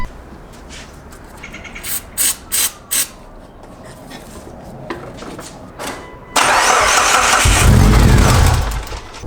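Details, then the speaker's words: Mitsubishi Evo 8 built for 600+ hp, after theft, with gas in the tank and fuel reaching the rail: a few clicks, then a rough roar for about three seconds before dying. It runs only on starting fluid; a replacement ECU is awaited. "so yeah it does start up with the starting fluid but for whatever reason the fuel is not getting to the injectors"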